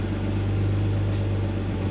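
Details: BMW E46 328Ci drift car, engine running steadily for two seconds with an even low hum, no misfire or stumble, then cutting off cleanly after a fuel filter change and Walbro 255 L/h fuel pump install; normal running.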